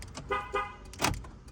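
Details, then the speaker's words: 2006 Toyota 4Runner right-side door lock actuator, working normally unlike the faulty left ones: a few short crisp clunks from the lock motor snapping cleanly into unlock; normal actuator operation. "and then for the uh right side it works normally so if I press"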